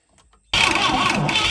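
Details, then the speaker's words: ASI boat engine unrun for 15 years, after a new fuel filter with fuel confirmed at the carburetor: starter churns harshly and keeps spinning without firing; owner unsure what is missing, perhaps a choke, and suspects a carburetor rebuild is needed. "okay so at this point i gotta wonder what am i doing wrong"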